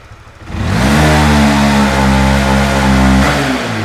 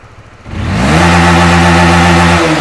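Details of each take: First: Honda Winner V1 (2015–2018) motorcycle on full throttle: revs climb, then the note stalls flat and sags as the tachometer drops, heavy hesitation blamed on a worn throttle position sensor track. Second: Honda Winner V1 (2015–2018) motorcycle after repairing severe throttle hesitation caused by a failed sensor: engine pulls cleanly from idle to full throttle and holds without dipping; normal full-throttle rev.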